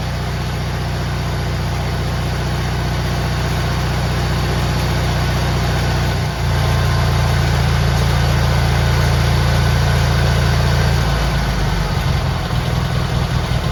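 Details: GT18 garden tractor twin, carburetor refitted, air cleaner off, steady even beat picking up cleanly on throttle and holding smooth; it used to flood out and smoke past half throttle when warm, now far better.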